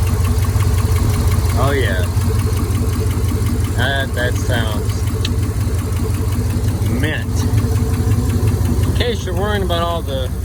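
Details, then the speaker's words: Dodge at 364,000 miles, after checking belt-driven pulleys: light ticking about three per second over a steady idle; valvetrain clicking comes and goes day to day, additives haven't helped, cause not found. "clackety those seem to come and go I've tried every type of additive you can buy at a parts store nothing seems to make a big difference it'll click and clack one day and then it won't make a sound the next"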